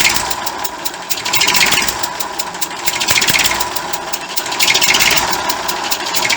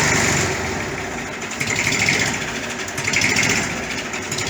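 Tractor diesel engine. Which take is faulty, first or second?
first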